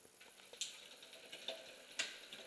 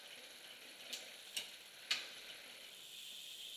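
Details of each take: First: Bicycle rear derailleur after backing off the high limit screw: light clicks and ratchety chain patter shifting back and forth between 8th and 9th gear with no grinding or skipping; now shifting smoothly. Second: Rear bicycle derailleur with high limit screw set too far in: three sharp clicks half a second apart, then soft chain whir as chain hesitates shifting 8th to 9th; fixed by backing screw off gradually.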